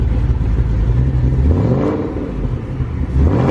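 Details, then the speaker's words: 900hp Shelby GT500 restarted after self-tuning on E85 (77% ethanol): deep steady burble, even low rumble, no stumbles; idle sounds a lot better, fuel trims within 2–3%. Normal idle. "start her back up see what she sounds like sounds a lot better"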